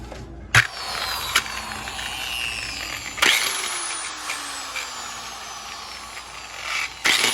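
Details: Hand polisher with a strange noise before disassembly: bursts on with a harsh high rasp, then its whine slides down as it coasts.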